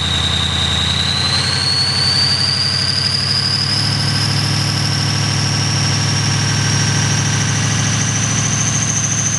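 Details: 6.0L diesel cold start with bad injectors, revved up: uneven clattering idle under a rising turbo whistle after the rev; rough idle and knock from faulty injectors.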